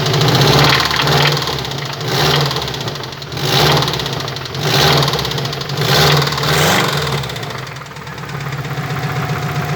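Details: Subaru Impreza WRX bugeye petrol engine blipped repeatedly, with a deep, rapid rod knock under the exhaust note that swells with each rev.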